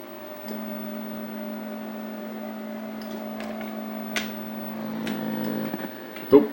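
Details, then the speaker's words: Mortal Kombat 2 arcade sound board: a steady low hum and faint hiss but no game sounds or test tone at normal volume; the amplifier works, and the fault is upstream. "if the sound amplifier was bad you wouldn't hear anything no hum or anything so we know that's good but again here see now I've got the volume at a normal level you don't hear anything"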